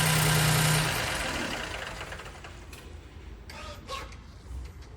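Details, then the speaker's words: 2015 Ford Fiesta petrol engine running with a knock about four times a second; an oil pressure test at the pressure port read zero, confirming total loss of oil pressure starving the bearings. "so ito Ford Fiesta 2015 maingay makina Noy and we suspected oil pressure issue"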